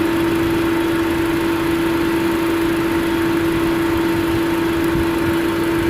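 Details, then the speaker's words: 2005 Chevrolet Astra overheating and pushing out coolant: at 221 degrees one fan finally engages but only on second speed, loud steady drone over idle; neither fan runs on first speed and the other spins very slowly; later fixed by replacing a relay. "entró el ventilador pero entró en segunda velocidad [Música] se escucha un sonido bastante fuerte"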